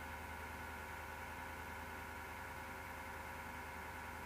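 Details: Desktop PC, recorded at left side of case: power supply fan starts rattling or clicking, slows, then a steady low-pitched roaring grind with faint uneven rattle under a constant whir, untouched case; worn PSU fan bearing suspected.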